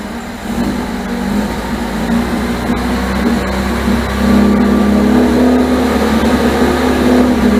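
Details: 1978 MGB after rebuilt carburetors were fitted and the ignition points deleted. Uneven, lumpy idle at roughly three pulses a second, a rough idle. Timing rechecked and distributor turned until it ran; the owner suspects the distributor still needs more turning.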